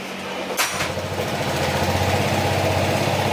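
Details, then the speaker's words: Honda PCX160 after an engine overhaul with a replaced crankshaft, fresh oil and coolant: it starts at once and settles into a smooth, even idle of about four beats a second, with the earlier cricket-like chirp and rattle from a worn crankshaft gone. "Ayan oh. Wala na yung tunog kuliglig oh 'di ba?"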